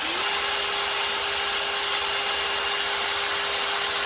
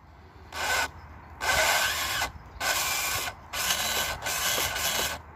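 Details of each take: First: FTX/RGT Outback Fury RC crawler after all gearbox bearings changed: even steady high electric whine under light hiss, no clicking, knocking or grinding; driveline now nice and quiet. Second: FTX/RGT Outback Fury RC crawler gearbox after an abusive day in the mud, run in spurts: short bursts of harsh, rasping grinding from the driveline, still driving.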